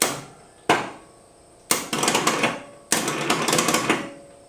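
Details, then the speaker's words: Abandoned Ford F250 revival, starter reinstalled with a new clutch and flywheel, in neutral: four heavy clunks with metallic rattle as the Bendix kicks out, but no cranking follows; the starter won't spin though it worked before removal. "I'm going to say this is pretty peculiar. This worked perfect when I took it out. You guys watched it drive that truck out of the woods, but now that I put it back in, it won't spin."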